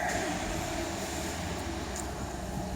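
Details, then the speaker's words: VW Golf Mk7 2.0 TDI EA288 (CLH) diesel, first start after replacing the factory-defective timing belt tensioner roller that caused an idle squeal: quiet, even idle with a soft hum and no squeal; normal idle. "Pierwsze odpalenie. Widać, że jest w porządku. Nie ma już żadnych dziwnych dźwięków. Chodzi tak, jak powinno chodzić."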